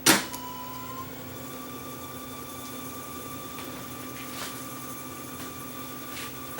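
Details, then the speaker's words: Akai 4000DS Mark II three-head reel-to-reel deck, rewinding with an even whirring hum of reels, then a soft clunk as the tape brakes stop them cleanly with no tape spill; normal rewind and brake stop. "we'll check out the tape breaks. T see how well it stops. Perfect. No tape spill."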